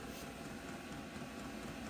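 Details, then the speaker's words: Newly installed diesel heater in a self-build camper van, just ignited and set as low as it goes: low, steady drone with a soft pulsing hum, no knocks or misses; running normally. "Oh, there's definitely heat coming out of this exhaust, so the heater has ignited. Oh, there she goes."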